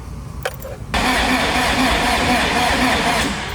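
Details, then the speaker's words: Nissan 240SX with fresh SR20 swap, first crank: steady, somewhat laboured, uneven whirr with no catch; slow cranking from a weak battery, later started on a jump pack. "Battery's shot."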